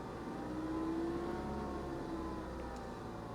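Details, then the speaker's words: Normal idle on a salvage 2015 Ford Mustang EcoBoost turbo four, about 310 hp, 88,000 miles, fresh 0W-20 oil; quiet, smooth, even hum with faint whir, no knocks or misses, sounds healthy. "and she sounds nice just listen to her purr yeah this little EcoBoost 310 horsepower huh"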